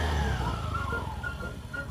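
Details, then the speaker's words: Scooter CVT after coin-like jingle fixed by replacing worn plate with a used one: short burst of running, then throttle released cleanly with no jingle from the clutch; rattle gone, owner confirms it's alright. "At dahil nawala ang kalansing, tinanong ko ang may kanya dyan, alright ba tayo dyan? Alright."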